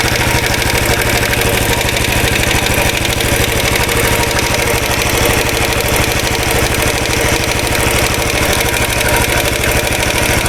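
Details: 2013 Royal Enfield Classic 500 single-cylinder at idle after engine rebuild, decompressor noise gone, oil level okay, screwdriver used as stethoscope: fast uneven metallic oscillating rattle about three a second over the beat; source not yet found.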